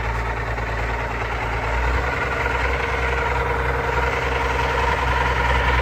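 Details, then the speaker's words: Allis Chalmers 190XT diesel tractor being brought back to life, idling: a faint thin whine rides over the engine, which the owner is pretty sure is the alternator. "And then that annoying sound you guys keep hearing, I'm pretty sure is the alternator,"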